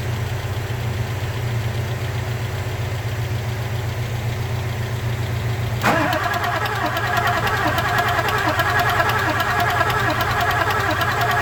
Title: 94.5 7.3 powerstroke no smoke no start clicking